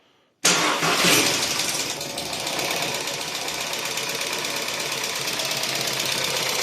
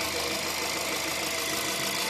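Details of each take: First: Volkswagen Caddy 1.2 TSI, apparently poorly maintained oil, after oil priming by cranking: engine fires into a loud rapid metallic top-end clatter from hydraulic lifters; one pumps up, then all quiet within a couple of minutes. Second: VW Caddy 1.2 TSI after a couple of minutes running, hydraulic lifters bled with oil: smooth, even, quiet idle with no lifter ticking or knocking.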